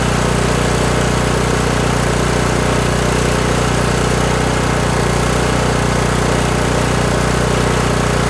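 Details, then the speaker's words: Kohler Courage 18 single-cylinder on a lawn tractor after turning the carb's low idle adjustment screw to cure surging: an even, steady thump of about three beats per second with no hunting. The governor rod has stopped rocking; whether the fix is lasting remains unconfirmed. "so all right so there we go i just continued to turn that screw out until the engine started sounding better"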